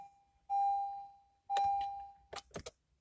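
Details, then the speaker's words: 2015 Honda Accord push-button start, key near button, foot on brake: two electronic chimes a second apart, a few light clicks, then silence, engine never cranks; owner suspects the starter, with battery, alternator or sensor also listed as possibilities. "I'll take the key put it close to that and start it but guess what no start"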